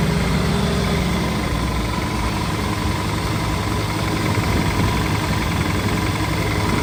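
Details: Land Rover, first drive in 25 years, after a new starter motor, a fuel system drain and fresh super unleaded, oil pressure gauge creeping up: steady, even idle with a low, smooth rumble and no knocks or ticks; healthy.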